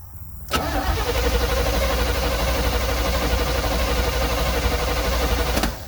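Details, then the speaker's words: 1972 Chevrolet C30 small-block V8, abandoned 15 years, fuel line routed into a jug, timing just advanced slightly: cranks steadily about four turns a second for five seconds but never fires. "It ain't firing at all. I ain't got a clue what has happened."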